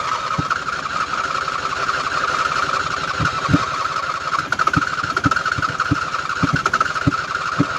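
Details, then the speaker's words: 2007 Husqvarna YTH2454 riding mower after washing, deck belt off, battery good: steady starter whine with a few scattered firing pops that never catch; cranks, fires briefly, then dies; owner then tries full throttle and short cranks. "she tries and then it doesn't try at all"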